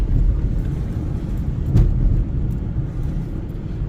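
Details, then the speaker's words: 2010 Mitsubishi Outlander, about 185,000 km, test drive after new rear shocks, front struts, lower ball joints, control arms and sway bar links: even road rumble with no clunks or knocks over bumps; rear suspension quiet and solid, noise fixed. "All right, guys, so I've been driving for about 5 minutes now. Suspension feels nice. No clunk, no noise."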